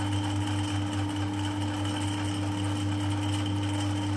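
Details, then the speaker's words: Harrison 140 lathe with a 3HP motor and new pulley: a steady motor hum with a light, uneven rattle about twice a second. It comes from the copper clutch plate, whose holes have worn on the 8mm pins, and disappears when the clutch is engaged. "but you can hear this this clutch flch plate is very noisy you can hear the rattling already so the rattling is from that part plate"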